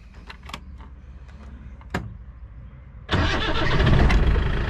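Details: Land Rover Santana 109 Super diesel, restarted after being shut off with the stop pull lever. Quiet for three seconds, then it catches promptly and settles into an even clatter, a clean, healthy start.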